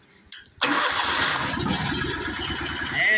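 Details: Bobcat zero-turn mower that had been cranking with no spark, now started with a jumper wire fitted during ignition coil diagnosis: a brief crank, then the engine catches and settles into an even, steady idle. It starts normally.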